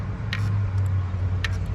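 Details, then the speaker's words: Lexus LX570 with starting fault, no communication and no PRND light: wiggling the loose ECM connector grip gives two sharp clicks about a second apart over a low hum as power drops in and out; intermittent relay clicking from loose ECM connector. "ये देखा, ये grip हिलाने से इसकी आती है light, आवाज़ आती है, थ्रोटल ऑन होता है वो ऑफ होता है।"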